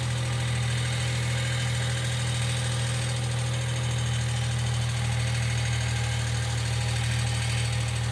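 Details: 1995 Geo Metro idling: faint, fast, light ticking over a steady low idle hum, typical of a noisy hydraulic lifter. B-12 fuel injection cleaner is added to the engine oil before an oil change.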